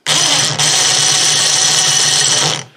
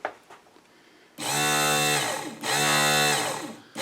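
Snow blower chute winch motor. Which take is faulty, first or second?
first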